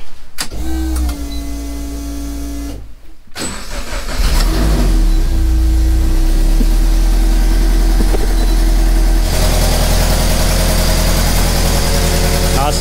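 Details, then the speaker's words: Race car after misfire fixed with redone, insulated wiring and new plug: catches quickly and settles to a steady, even idle with no misfire; exhaust manifold leak noted. "steady no misfire they definitely got a leaking exhaust manifold kind of expected that to happen to be honest"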